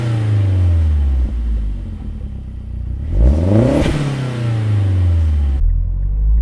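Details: Mazdaspeed3 first start after replacing the K04 turbo with a lower-mileage stock one, fitting a high-flow cat downpipe and oil-priming the turbo: catches and settles, blips up sharply and falls back cleanly, no knocks, rattles or leaks.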